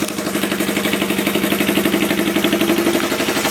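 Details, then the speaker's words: Old twin motorcycle (Kawasaki KZ400 or Honda CL350) revived after sitting, fired up immediately: even, steady exhaust pulses at a settled idle with no knocks or misses; normal idle. "can't believe it. Immediately fired up. Incredible."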